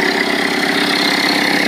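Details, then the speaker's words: 1985 Toyota 4Runner crawler converted to Toyota turbo diesel, compression even and very high across cylinders: starts right up into an even, steady diesel clatter at idle with no misses or knocks, Viair air compressor kicking in. Normal idle. "It starts right up. We did a compression test on it. I forget what the numbers were, but they're all across the board within 1% of each other, and they're very high. I had another mechanic friend of mine do that, so definitely a strong running engine."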